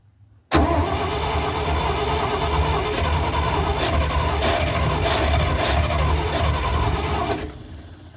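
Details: 1971 Dodge A500 dump truck, after fuel leaked out; starter cranks at a steady rhythm for about seven seconds and never catches, cranks but won't start, cause unconfirmed.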